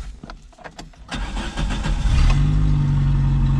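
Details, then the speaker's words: 1982 Dodge Rampage, long-stored, with bad gas blown from the lines and gas poured into the carburetor to test the fuel pump. It cranks briefly and catches in about a second, settling to a steady, slightly rough idle; it sounds pretty good. "Oh my goodness, it started right up. It's a little bit rough, but it actually sounds pretty good too."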